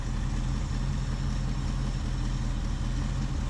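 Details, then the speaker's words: 1976 Ford Ranchero 500 after a new timing chain, oil pump and timing set, running without a PCV valve: deep, steady idle with an even cam lope, smoother, no ticking, hissing or stumbling; normal idle. "it runs great now with a new timing chain boy it really runs good I can tell the difference smoother you can hear and feel the cam doing its job"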